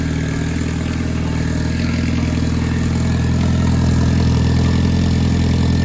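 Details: Boosted Honda B20B4 turbo four after repairs (new ground wire, new oil feed line, fuel fix, wastegate plumbing corrected): steady, even low rumble with regular firing pulse, no misses or knocks; settling into normal idle.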